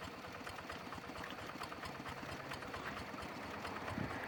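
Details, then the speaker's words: G.3000 ZEVA single-cylinder diesel tractor engine idling with a rough, rattly, gritty noise over its uneven thump: noisy fan support bearing or tension pulley bearing. "Baik, ada suara berisik dari laker atau bearing penahan kipas ya, atau tension pulley."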